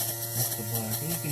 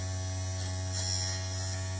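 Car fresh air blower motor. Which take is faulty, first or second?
first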